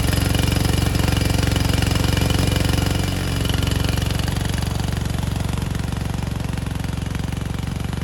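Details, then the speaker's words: 1987 Gravely Professional 18G riding mower, Kohler Magnum 18 hp engine, original carburetor: rapid thumping with engine speed dipping and recovering on its own as the linkage moves without touching the throttle lever; carburetor out of adjustment. "And we want to point out the carburetor. It is acting sporadically all on its own, basically changing throttle settings without us moving the throttle lever up top."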